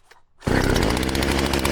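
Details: Poulan Pro chainsaw after sprocket and oil pump replacement, started with choke and single prime: pull start catches straight away into a loud steady even buzz, no sputter or bogging; normal running.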